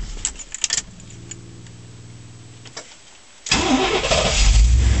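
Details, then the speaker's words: 1989 Chevrolet 3/4-ton 4x4 farm truck, 350 cu in 5.7L V8, 700R4 automatic: even cranking about two seconds, pause, then fires promptly into smooth idle; starts nicely now, coolant sensor still to replace. "got it started and running. Starts pretty nice now."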